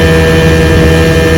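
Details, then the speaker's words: Restored 1971 Johnson 6 hp two-stroke outboard on its first on-water test run after restoration, pushing the boat about 10 mph: smooth, steady constant-pitch drone with no surging, misfires or knocking. Running normally under way. "1971 6 horsepower just runs straight pushes my 40-foot feather crop about 10 miles an hour pretty awesome"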